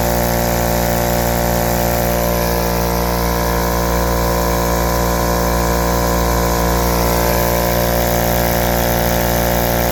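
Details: Husky 516-052 33-gallon 1.7 HP air compressor (start capacitor 0.477 MF, run capacitor 49.8 uF), started from 0 psi, drawing a little over 12 A. A steady, loud motor drone with an even pump beat, no cutout yet. It usually cuts out after 30 s–1 min; one cutout came at 11.39 A. Owner suspects the thermal or amperage overload switch.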